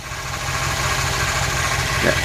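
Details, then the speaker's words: 2009 Chevy Silverado engine idling, thin steady whine over the rumble heard via hose at an idler pulley; bad idler pulley bearing, not power steering, to be fixed by replacing the pulley. "that's whining like crazy so that right there tells me that that's the bearing that's bad"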